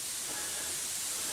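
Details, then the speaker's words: Plasma cutter's compressed-air supply hose with a blown-out spot. A steady sharp hiss with no rhythm and nothing running underneath: air leaking from the hose. "now like I said I got a hose leaking you can probably hear it hissing"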